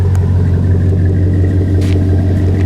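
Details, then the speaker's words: 2005 Chevy Silverado 1500, 5.3 pushrod V8 with Flowmaster 50 Series Delta Flow exhaust, settling down from high idle: deep even burble, no misses, ticks or knocks; healthy normal idle. "That's high idle. I can wait for it to idle down a little bit. It will. There it goes. You have a perfect sound. Love it."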